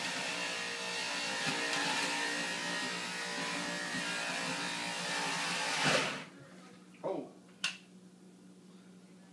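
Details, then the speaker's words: Fusion Juicer juicing apples: steady high motor drone under load cuts out abruptly around six seconds with only knocks after. Motor stalls, a first for this juicer; a clogged blade is suspected. "so that's new one never stalled the motor before"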